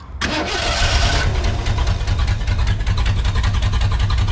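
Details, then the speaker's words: V8 (Tuff Truck) starts and idles with sharp rapid ticking puffs over the rumble, an exhaust leak; distributor just timed to about 33 degrees full advance, vacuum advance unhooked; suspected carburetor issues when revving. "So you can hear it's got an exhaust leak that's bugging the crap out of me."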